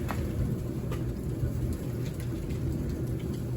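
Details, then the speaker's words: Kenmore 700 Series dryer after lint cleaning and cleaning of the drum wheels and belt tensioner, which cured a loud metallic scraping when spinning. Smooth, steady tumbling rumble with no scrape; normal dryer operation. "Got the dryer back together. As you can see, and here, no more noise. Run smooth."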